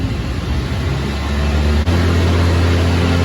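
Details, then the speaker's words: Polaris Ranger with a dead battery and no charging, after installing a new regulator/rectifier, battery reading 12.1 V and near 13 V revving: engine revs hard with a thumping, uneven hunting beat; serious idling issues, cause still unknown. "You can hear us revving it up now. We've got some serious idling issues,"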